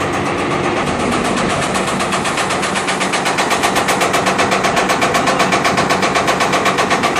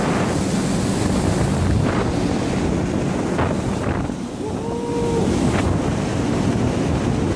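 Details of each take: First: Marley cooling tower Geareducer with massive noise complaint: loud, harsh metallic rattling beat at about four per second from the gearbox itself, much rougher than a healthy reducer; not yet disassembled. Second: Marley cooling tower, the good one of two (the other noisy, gearbox suspected), heard inside the tower: constant rush of falling water over a steady fan hum, no knocking or grinding; normal running.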